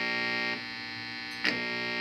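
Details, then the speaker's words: Harman Kardon A-10 Allegra amplifier, first power-up test with no input: a steady buzzy mains hum with a bright edge from failing filter capacitors, which are to be replaced. "okay there's a while you hear the hum so pastors have to be changed"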